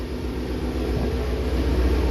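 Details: Loud, deep, steady, even rumble with no knocks from a 3,800-mile 2019 Shelby GT350 with a newly installed Whipple 3.0 supercharger and ARH long-tube catless headers, near operating temperature with no boost, no check-engine lights or leaks; normal idle.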